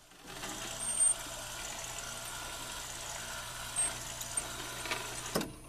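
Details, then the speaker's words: Rock-Ola 445 jukebox switched to operate mode. A steady low motor hum for about five seconds, then a clean stop with a click as the carriage returns to the home position; normal. "But the way they work is whenever you go back to operate, it should spin all the way back around to the home position."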